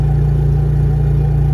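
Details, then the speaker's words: Generator charging EG4 batteries via Victron system in bulk mode at about 1440 W, load ramped slowly: deep steady low hum with even pulse, no misses or surging; carrying the charging load smoothly. "you hear the generator load being slowly applied it just doesn't it slowly ramps up the current as you can hear in the generator slowly adding load"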